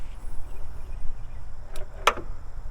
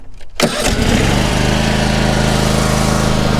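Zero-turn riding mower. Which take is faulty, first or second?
first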